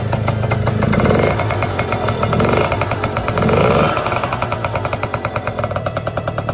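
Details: Piaggio NRG MC3 two-stroke moped after fitting a new exhaust: crisp crackle rising and falling with sharp throttle blips, steady firing, no rattles or misses; revs cleanly, sounding more powerful.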